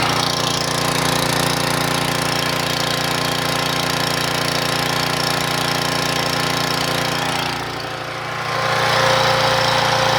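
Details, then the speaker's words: 1997 3000-watt portable generator, after carburetor replacement: steady, even drone, speed dips briefly near end then settles, output 117-120 volts without sagging; healthy, new carburetor expected to use less gas. "we can hear the sound for the new carburetor she's definitely going to use less ga"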